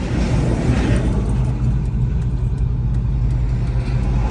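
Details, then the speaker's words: 1998 Ford Mustang GT 4.6 SOHC V8 with tubular headers and a stainless X-pipe, on a road drive including full throttle: a deep, steady, throaty drone with no exhaust leaks or rattles. Only a bent wheel backing plate scrapes. Normal exhaust note. "right on Mustang sounds fantastic all right guys exhaust sounds good I hear no exhaust leaks uh no foul noises"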